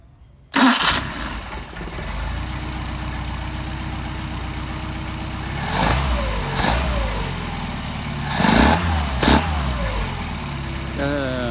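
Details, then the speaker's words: Mercedes 190SL with tested Solex carburetors, hot start after idle and linkage adjustment: catches immediately, settles into steady idle, picks up cleanly on quick revs; good set of carburetors, normal hot start. "got you good set of carburetors there Muhammad"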